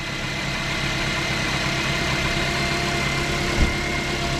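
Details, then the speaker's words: Car after alternator replacement, with the bracket bolts relocked, restarted to check for belt squeak. Smooth, even idle with a steady hum and no squeal or chirp: healthy. "you gonna start it again I want to hear make sure no squeak go again"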